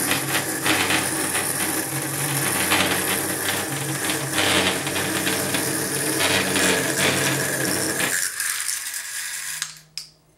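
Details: Feiyu FY-G4 gimbal: busy rattling whir with on-off low hum stopping abruptly near end; motor vibration buzz, cause unknown.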